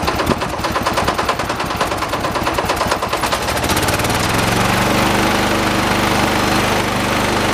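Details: 1986 John Deere 216 16 hp tractor during carburetor adjustment outside: ragged, uneven popping beat for a few seconds, then smoothing into a steadier drone; rough running, cause unclear, owner thinks carb is adjustable.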